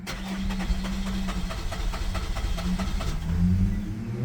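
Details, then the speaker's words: Holden Captiva 2.2 diesel, no start after EGR replacement: long crank at about six pulses a second, nearly catching but never firing while the fuel system is bled; full of air in the fuel, later starts with throttle. "We're getting there. It's full of [Music] air. I'll try with some throttle."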